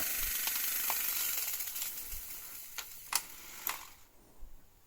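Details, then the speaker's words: Philips VR2840 (Aristona 28VR40) V2000 VCR pressed to stop: sharp irregular clicks and ratcheting snaps that fade out as the deck mechanism chews and jams the tape. "It sounds like it might have actually Uh it's a bit better. Um might have taken the tape. Yeah, it's taken the tape."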